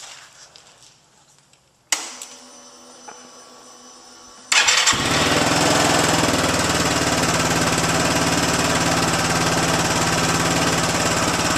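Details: Yamaha Zuma BWs125 scooter, first start after the complete Leo Vince exhaust is fitted and all bolts tightened: starter whirs, engine catches and settles into a steady, even, loud idle with a crisp exhaust note; healthy, normal idle and revving.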